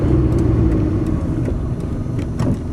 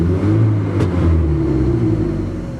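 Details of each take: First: Modified KIA with carburetor (no accelerator pump), driving at about half throttle: pulls cleanly off the bottom, then revs climb slowly at higher rpm; power loss at high rpm, cause unconfirmed. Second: Modified carbureted KIA, lacking power under load: picks up quickly off idle with deep even rumble, no stumble or miss, revs as quick as before; normal free rev.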